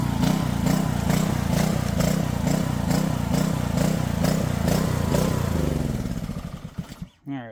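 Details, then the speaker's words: Junked Honda-powered Homelite pressure washer after carb cleaning and a float-valve check pulses up and down about 2.5 times a second, never settling, then dies; bad gas suspected. Surging. "that's definitely doing something weird. Could be bad gas? I don't know. Let's drain the gas, fill it up with some fresh, and see what happens."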